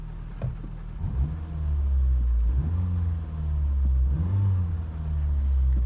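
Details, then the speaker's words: 2001 Nissan Micra K11 CG10DE after oil service, oil light out, a few gentle revs: low smooth rumble swelling and falling with three blips and returning cleanly to idle, no knocks or misses; healthy. "i just like to give it just a couple of gentle revs don't like rev the nuts off here"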